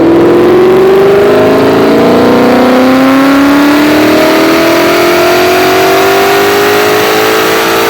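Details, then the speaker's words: 2001 New Edge Mustang, originally V6 with manual transmission, swapped to a Coyote Aluminator crate V8 with Cobra Jet intake, dyno pull: hard, clean pull, tone rising smoothly toward about 8,000 rpm, no stumble or miss; healthy, strong engine. "not bad about what we were kind of expecting as far as what the crate motor does from one of these guys"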